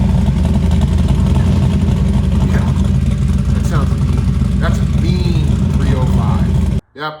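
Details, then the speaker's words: Built 305 TPI small-block Chevy in a 1991 Camaro Z28 convertible (Trick Flow Super 23 heads, TPIS Lil Chubs cam, FiTech EFI), running but not yet tuned: deep, loud V8 with choppy loping idle and throttle blips; lumpy cam idle. "That's a 305, and that's a beefy 305. That's a mean sounding 305, and the funny thing is, it's not even tuned yet."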